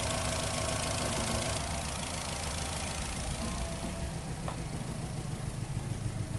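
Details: 2008 Nissan Rogue with P0300 misfire code and check engine light: rough idle with a fairly regular rattle about three or four times a second under the engine hum; cause unclear, possible misfire.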